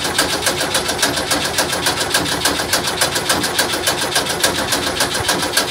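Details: VW bus double cab after an engine fire (owner suspects a leaking carburetor linkage): even starter cranking at about three and a half beats a second that never catches; crank no start, fuel pump being checked, cause unconfirmed.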